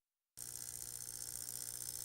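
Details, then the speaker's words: Panasonic RC-1280 flip clock, case opened before cleaning, motor examined up close; constant high raspy buzz with faint gear chatter over a low hum, motor in horrible shape and noisy, exact cause unclear. "here we're looking at the motor itself, and you can just hear how horrible shape it's in."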